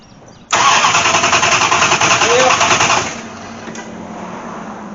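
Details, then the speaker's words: Dodge Aspen with MSD ignition, sat nearly six years with rat-nest wiring: starter churns steadily about two and a half seconds, roughly three pulses a second, never catches; cranks but no spark, cause within ignition wiring not yet found. "barking she ain't a sparking surprise surprise so why is she not sparking"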